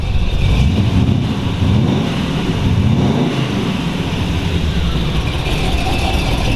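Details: 1932 Ford Hi-Boy roadster, 265 CID S.C.O.T.-blown flathead V8 with '49 Merc rods and S.C.O.T. 404 cam, in neutral, idling and revving: deep, even rumble rising and falling smoothly, no ticking or knocking; healthy.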